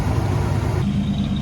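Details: 1996 Ford E-150 Club Wagon van, 5.8 V8, running after an alternator replacement with Gates belt fitted: deep smooth steady rumble, no squeal, chirp or knock from the front of the engine; runs normally.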